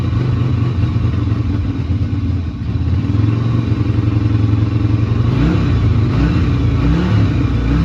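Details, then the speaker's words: Yamaha Virago XV250 V-twin, bought as a non-runner and off the road since April 2017, started without choke: uneven lumpy beat stumbling on throttle blips, poor revving and rough running; owner expects it needs carb work. "Yeah, it's not revving great, but that's to be expected. Probably does want a bit card work really, but at least it runs, you know."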